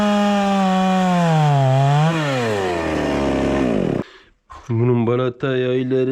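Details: Proyard 450 chainsaw after repair, cutting wood: strong two-stroke howl that sags under load as the chain bites, then revs cleanly back up; cutting normally.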